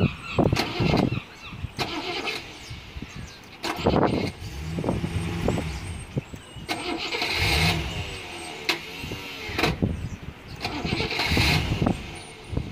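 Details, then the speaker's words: Rover P6 with dodgy starter wiring: stop-start starter bursts with pauses before turning over, delayed engagement; owner suspects loose connection at the starter, unconfirmed. "Delayed start there that time. Hear that? Delayed start."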